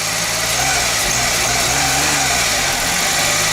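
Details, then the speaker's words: Suzuki Alto Lapin small engine started normally to test idle, with no tachometer fitted: holds a fast, busy idle with a steady hum that dips briefly but never settles to a low tickover; idle speed still too high. "Oh no, it's still high. It almost had it."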